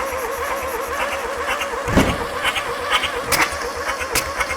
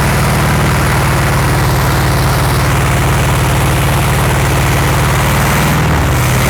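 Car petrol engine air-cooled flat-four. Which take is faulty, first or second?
first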